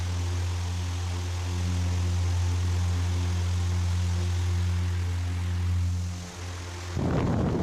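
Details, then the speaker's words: Pedestal fan after blade balance and angle setting to fix vibration; smooth constant low hum with no wobble, rattle or beating, no vibration or noise. Normal running. "ये देखें बिल्कुल स्मूथली, ये बिल्कुल अच्छे तरीके से वर्क कर रहा है। कोई वाइब्रेट नहीं है, कोई किसी किस्म का इसका शोर नहीं है।"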